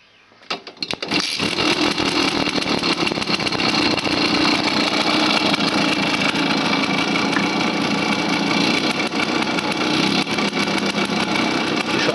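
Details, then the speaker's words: Simson with an engine rebuilt half a year ago: idling with the throttle cable just taut, a fast, uneven metallic chatter over the exhaust. The 2–3-week-old carburetor slide rattles in its worn housing, and the rattle stops when the throttle is released. "Úgy tudod ellenőrizni, hogy beindítod a motort, és a gázkart nem húzod meg, csak annyira, hogy éppen egy picit megfeszüljön a bóvden, és hallható lesz a Schubert csörgése."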